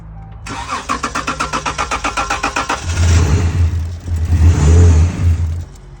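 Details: Dodge Charger crank-no-start: about four seconds of fast, even cranking, then it catches and revs briefly on starting fluid before dying. The scan tool indicated the fuel pump, so there is no fuel delivery; the pump sits behind the rear seats.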